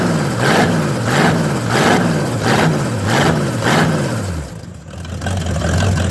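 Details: Old El Camino V8 first start, about 35–38°F, timing possibly needing adjustment: loping idle rising and falling about 100 times a minute, settling steady; runs healthy.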